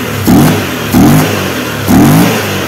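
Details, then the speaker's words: 2015 CF Moto X8 ATV after service: it blips crisply three times and settles to a steady idle each time. Runs like a clock, with no extraneous sounds or metal grinding. "now we are starting the engine we hear that our engine runs like a clock, no extraneous sounds, no grinding of metal"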